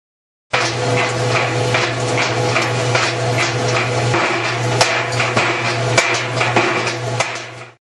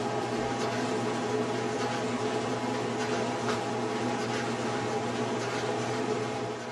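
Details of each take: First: General Electric dryer running with a steady hum and frequent irregular banging knocks from inside the drum; loose or broken drum baffles suspected as the cause. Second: General Electric clothes dryer running smoothly with steady hum and no knocking after a loose or broken drum baffle was replaced and secured.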